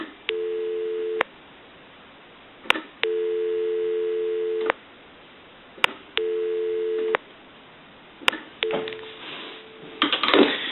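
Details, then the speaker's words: Dean Electric wood wall magneto telephone under repair: steady dial tone in three stretches, each cut abruptly as the crank turns, the crank disconnecting the regular line to avoid back-feeding voltage; normal. "so now we know that anytime someone walks up to this telephone and tries to crank it and ring the bells that it actually disconnects the telephone line from the telephone and that way we're not back feeding any voltage into the regular telephone line"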